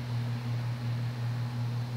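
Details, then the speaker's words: Early-mid 1980s Union 'Super 36' 36" three-speed ceiling fan, cast aluminum motor, direct rod mount without rubber isolation: loud steady low hum with slow gentle pulsing carried into building structure. "that hum will reverberate through the building structure and you'll hear it it will be loud it will be obnoxious if you're trying to sleep this is not the kind of mounting bracket you want"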